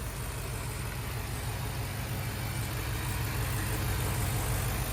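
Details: 2023 Ford Super Duty F350 7.3 Godzilla V8, new upper idler pulley fitted (old one wobbled and was loose): steady, smooth low idle with no chirp, rattle or wobble from the belt drive; normal idle.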